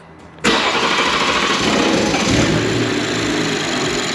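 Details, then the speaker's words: BMW M240i B58 with upgraded turbo and port injection, first start after 33% larger Nostrum stage one injectors: catches instantly, briefly rough idle while high-pressure fuel system builds pressure, then steady; no fuel leaks. "first start's going to be a little bit rough as you build pressure again into your high pressure system so don't worry about that little bit of rough idle off the start everything sounds great"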